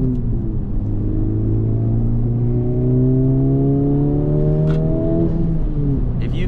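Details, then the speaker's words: Honda FL5 Civic Type R, just over 10,000 miles, with touring exhaust, accelerating while driving: smooth engine drone climbing in pitch with soft intake whoosh, no knocks; normal engine and exhaust sound. "that is the intake making that whoo sound and the awe touring exhaust that I have on the car this thing sounds good to me right now"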